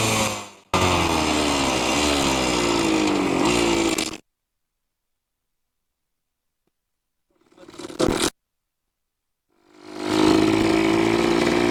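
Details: 1973 ATMX two-stroke ridden up the street after kickstarter and clutch repair: ringing revs climb in bursts faster than the bike pulls, so the clutch is still slipping a little.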